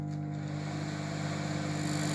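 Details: Microwave oven after replacing the capacitor (1.13 µF for the old 1.07) and a new 10 A fuse, running with a glass of water inside: steady, even low hum with a few fixed tones and no buzzing, arcing or rattling; working normally.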